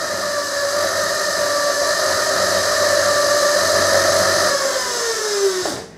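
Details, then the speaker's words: Mototec 48V Pro electric motorbike with FarDriver ND72300 controller, wheel attached, swept through throttle positions: steady high motor whine turns gritty and crunchy in one narrow part-throttle range, pitch falling as throttle eases; cause unclear after parameter tuning. "so it's like basically in one very very finite part of the throttle where it's just all of the sudden it just gets really crunchy"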